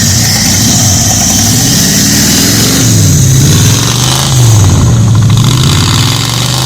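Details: 1985 Ford Bronco V8 first start after 8 months, coolant suspected in cylinders; revs unevenly, stumbling and surging with broken beat under throttle, running on about six cylinders; may need head gaskets, maybe heads.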